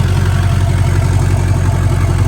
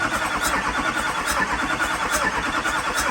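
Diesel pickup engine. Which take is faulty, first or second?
second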